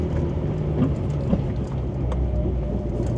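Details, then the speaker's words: Abandoned Mitsubishi Lancer Evolution 8 on its first drive, new idle control valve fitted: irregular dull clunks over heavy road rumble; fender liners rubbing the wheels, car sits low, owner suspects sway bar unhooked; brakes go to the floor. "I'm not exactly sure what I'm hearing. I hear a lot of clunks. I know the wheel wells are hitting, or the wheel fender liner rather is hitting the wheels as I drive."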